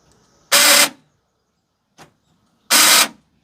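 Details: Chevrolet Astro van passenger door after replacing the lock actuator: two harsh buzzing bursts, each about a third of a second, as the lock cycles; relay-like chattering from a unit inside the door. Cause unconfirmed.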